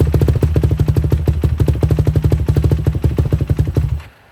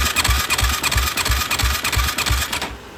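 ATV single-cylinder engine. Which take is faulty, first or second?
second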